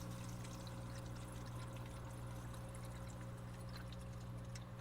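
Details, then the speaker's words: Oase BioMaster canister filter after cleaning the impeller and housing, mic right against it: a low, steady hum with a soft gurgle as trapped air passes; otherwise it runs quiet, with no rattling or grinding. "But that's how quiet it is in here. That's how I do it. So that's it. And uh nice and quiet. Everything's running great."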